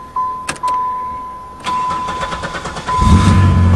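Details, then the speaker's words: 1998 Chevrolet Lumina LTZ, sat about three years since October 2007, started without touching the gas: door chime, short crank, then catches cleanly within a second into a steady idle with no smoke; normal start. "my god first try i didn't touch the gas motor sounds perfect wow no smoke good exhaust well you'd never know sounds like she was just running five minutes ago"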